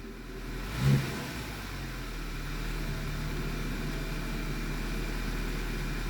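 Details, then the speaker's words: 2009 Audi A4 six-speed manual after the fouled plug was cleaned again with carb cleaner, no parts replaced: after a brief blip, a low, even idle with no stumble. Carbon buildup from long sitting was the cause. Normal idle. "I cleaned the plug even better carb cleaner everything let's see what happens let's see if we get lucky oh look at that no parts required"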